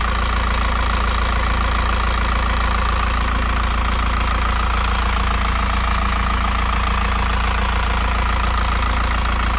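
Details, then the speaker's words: Isuzu NPR cab-over 4-cylinder diesel truck revived after sitting for years, warming up: steady even idle with low regular clatter about 85 beats a minute, no misses or knocks; healthy. "She's still running, she's still sounding good."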